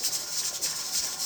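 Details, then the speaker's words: Pressure canner processing home-canned black beans, flame reduced from full blast to about medium after venting: quick, even bursts of hissing steam with a steady rattle, about three a second, as the regulator weight rocks steadily at correct pressure. "You want it to be a steady rocking."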